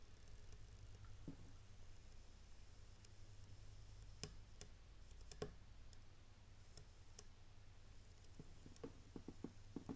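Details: Köln 80 L water heater with two dry heating elements, after about 10 months: irregular sharp clicks and crackles over a low hum, like water on a hot oiled pan, growing as it heats and fading when switched off, seemingly from the right side.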